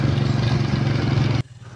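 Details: Toyota Revo gasoline engine idling with a low, lumpy, uneven chug and shaking, a rough idle from a misfire; wiring and injectors are checked and the injector has power.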